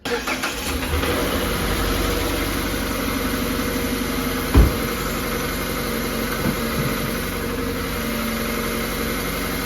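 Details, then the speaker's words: Mazda Skyactiv daily driver at cold start: rough, rapid knock tied to engine speed, smoothing somewhat once running, previously worse; oil pan was removed and timing being checked, cause not confirmed. "If you hear, guys, it sounds pretty horrible. It was worse. I actually took the oil pan off."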